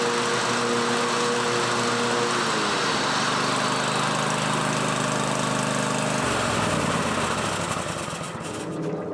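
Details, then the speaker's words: John Deere 130 lawn mower after replacing blades and refitting deck: small single-cylinder engine running steady and even with blades spinning, no knocks or grinding; normal running with deck engaged. "so now the deck is back on let's go ahead and start it up and see if the blades will spin for us"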